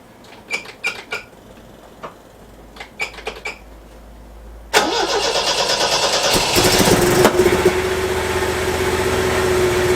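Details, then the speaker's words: MGB with 1800cc engine, on an attempt to see if it will drive: the pump ticks, then a busy, slightly uneven fast idle with choke on. It runs very rich on old, stale-smelling fuel. "it's running very very rich the fuel still smells quite old and i put the collection of choking but it's still very very rich"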